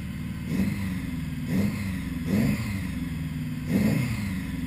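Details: 1980 Honda GL1100 Goldwing, first start after carb clean and rebuild for running too rich: idle screws replaced and set to 1-1/4 turns, floats set to 15.5 mm; smooth steady idle with four clean throttle blips; runs fine.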